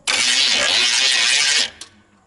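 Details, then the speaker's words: GMC Vandura van after loosening starter bolts to adjust its angle because it seemed not to engage: sharp high whirring about 1.5 seconds, engine never catches; starter seems to spin without engaging properly, suspected, not confirmed. "Rück mich mal ein der sagt wieder nicht normal teuer"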